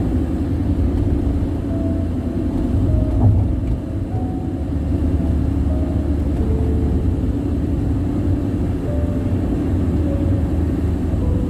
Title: Loud tire noise ? #Bandung-Jakarta toll road